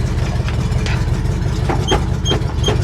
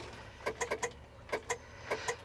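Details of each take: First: International Harvester 1000 truck abandoned over eight years, big petrol engine ticking over steadily with an even low beat and no stumbles after the fuel pump came back to life. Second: International Harvester 1000 truck abandoned over 8 years, key turned after hitting the starter: sharp solenoid clicks in bursts with no cranking; solenoid works, starter motor believed failed.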